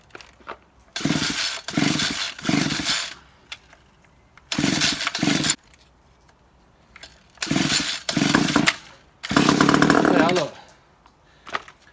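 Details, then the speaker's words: Homelite 3050 26cc petrol strimmer found in a skip, left over winter, air filter off, choke open: catches in short one-to-two-second bursts only on easy-start spray, dying between them, confirming spark; fuel delivery suspected, not confirmed. "it started. So that's another way to do it, is just to spray a little bit of easy start in there, and if you get a kick on it, then you know you're going to get a spark."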